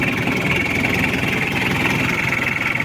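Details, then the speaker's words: Chevrolet K5 Blazer with a Mitsubishi 4D56T turbo diesel, after repair and setting, idling while warming up to normal temperature: even diesel clatter with no misses or uneven beat; now fairly smooth; normal diesel idle. "anya Udah lumayan halus aman enak tenaganya"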